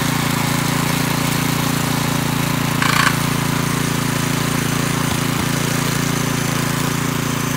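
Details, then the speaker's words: McClane 3.5hp edger with Briggs & Stratton engine, after a carburetor tune-up, oil change and fresh fuel following years of sitting, started cold. A steady, even single-cylinder drone with a brief blade scrape at the edge. Runs smooth and cuts a nice line. "well this edger actually uh runs pretty good and cuts a nice line and everything"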